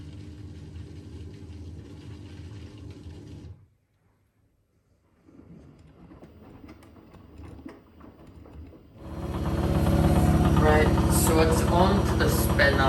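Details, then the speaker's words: Blomberg RapidJET LWF194520QW 9kg 1400rpm washer, about a month old, on spin: loud hum with a steady knock about three times a second; owner suspects cables or something on the side; drum knocking, cause unconfirmed. "i do really need to get that fixed but that's what it is and for some reason it also well makes up knocking there's like cables on the side or something on the side"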